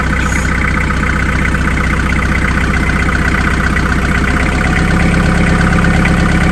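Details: Narrowboat diesel first run after in-situ repair, dead about two months: steady even idle, regular low thump about three beats a second, no knocks or misses; healthy.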